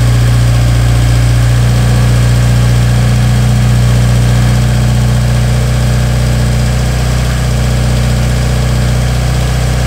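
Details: Toyota 4A-GE engine with bike carburetors, first start: strong, steady low drone at even speed with a crisp, regular pulse and no misses or knocks; normal running.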